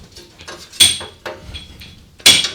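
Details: ATV with engine off, before repair: sharp tinny metal clatter from a loose exhaust heat shield rattling when shaken.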